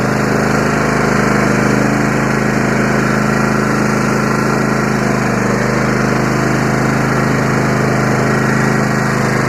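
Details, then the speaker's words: Free Yard Machines 20hp riding mower tractor with 42-inch deck, running: steady small-engine drone with even whir from deck, blades engaged and spinning fine, no knocks or grinding; normal running. "work sounds like the blades work I looks like Harvey got himself a nice free tractor"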